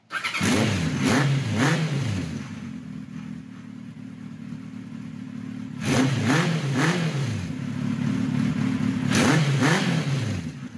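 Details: 1976 Kawasaki KZ900-A4 inline-four after correcting exhaust cam timing, fixing two bad spark plugs and fitting a 4-into-4 exhaust. Crisp rev blips rise and fall cleanly and settle to a steady idle; it runs far better and sounds healthy.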